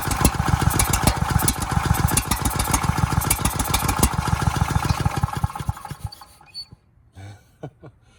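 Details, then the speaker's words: Ridgid generator's freed-up Yamaha MZ300 engine with motor oil poured down the cylinder. Fast, even cranking pulses of three or four a second never catch, so the rings are most likely not at fault. The exhaust valve had no clearance and heavy carbon buildup, and the valves are probably to blame. "As you can see, it's still not starting. So that tells me it's most likely not the rings, it's probably the valves themselves."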